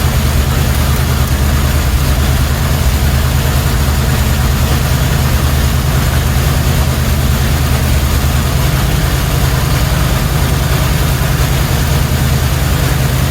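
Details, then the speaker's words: 1977 Chevrolet C10 350 four-barrel, 165 HP: deep idle with faint uneven lope as one cylinder's valve isn't opening; cam lobe suspected, possibly a lifter, not yet confirmed. "well I think we figured out the problem it's a cam Lo for sure so or it could be a lifter"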